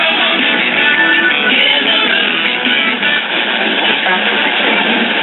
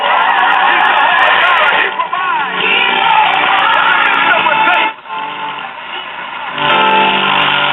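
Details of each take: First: Silvertone model 5 tube radio after IF transformer repairs, playing through a temporary smaller speaker pending a 5" round PM replacement: AM music clear with no hum, crackle or buzz, slightly thin; sounds much better and appears fairly sensitive. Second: Silvertone model 5 tube radio after replacing bad tubes and defective mica capacitors in both IF transformers: music plays without static but thin, harsh, bassless and buzzy on loud passages; original speaker defective, sounds terrible, needs replacing.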